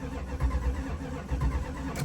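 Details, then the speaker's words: 1979 Chrysler 300 sitting a year, freshly started on electric pump fed from a gas can: uneven, lumpy low idle thump stumbling every few beats; engine misfire at idle, owner suspects a weak cylinder or fuel delivery. "Why does it sound like this thing has like a skip?"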